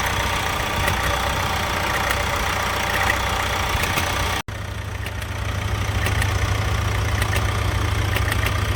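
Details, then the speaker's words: 2018 Vauxhall Insignia 1.6 CDTI diesel at idle: irregular light ticking and rattling coming and going over the steady idle; intermittent rattle the owner suspects is the timing chain, the same noise heard before earlier repair work. "yeah so my 2018 insignia doesn't know when to behave itself it's it's mot day today and well a couple of days ago it made this noise again that is the same noise as what it made last time before all the change stuff started to happen"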